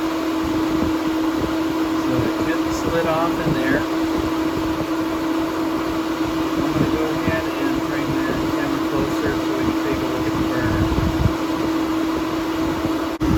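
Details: 5-year-old Suburban NT-20SQ RV furnace (flame previously went out after about 15 seconds); steady blower hum, even burner roar, no popping or surging: normal furnace operation.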